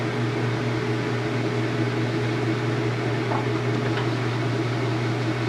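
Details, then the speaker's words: Washer spin after draining its rinse water, getting up to speed, with wattage being measured: constant low hum and smooth steady whir, no knocking or scraping, near full speed; normal spin. "Now it's doing its spin. And there's the wattage reading on that. Just getting up to speed."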